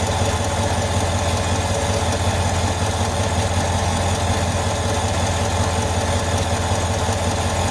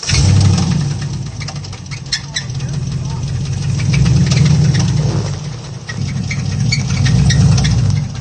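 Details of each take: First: 2023 GM 5.3 L V8 with 82,000 miles at idle after switching from 0W20 to 5W30 oil: steady, even low rumble with only a faint light tick left; the heavy ticking heard on 0W20 is largely gone. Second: 2023 GM SUV engine at 30,000 miles: deep run with a hard metallic knock three to four times a second, bearing metal scraping on the crankshaft as the engine destroys itself; rod bearing knock.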